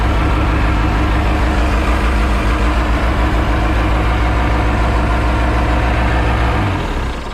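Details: Mercruiser 3.0 boat engine on earmuffs water supply after J-B Weld repair of a block crack behind the exhaust manifold; heavy even idle thrum, no knock or misfire, shuts off cleanly; water leak from a missing hose clamp.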